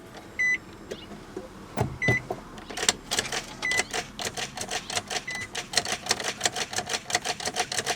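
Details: 2002 Nissan Maxima, key turned: engine never cranks, only a rapid whirring chatter with a loud screeching sound, about four or five pulses a second, from a failed starter or starter solenoid; starter and solenoid replaced.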